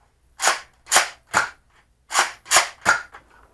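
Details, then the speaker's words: Unmodified Double Dealer dart blaster (stock, locks and jam door intact) being pumped and fired: six loud, clattery rasping ratchet bursts about half a second apart from the priming mechanism, noisy and annoying. Rapid firing usually pops the jam door open. "this has a really ratchety kind of pumping mechanism. So when you pump it back, you can hear the ratcheting. Kind of noisy, kind of annoying, not as quiet."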